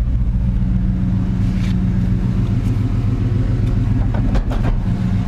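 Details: 1987 Chevy C10 with a 305 V8 and 700R4, after the header exhaust leak was fixed, new exhaust run and the weak fuel pressure regulator fixed. Deep, steady, even burble outdoors with no misses or ticks. Healthy idle.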